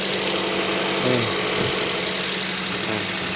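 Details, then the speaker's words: Toyota Vios after battery replacement and throttle body cleaning: petrol engine idles steadily with an even hum and no misfire or shaking while the ECU relearns; the earlier misfire came from a dirty throttle body. "okay na. Wala siya ng palya dahil ang nag-ano, nagle-learn lang yung computer computer box."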